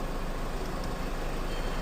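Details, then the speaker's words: Range Rover Evoque idling after the parking brake repair (sanding and greasing): the parking brake is applied and released with no noise, replacing the fast squeak heard before the fix. "Hand brake down करते हैं। ये देखिए। कोई भी आवाज नहीं आ एकदम silent हो चुकी है।"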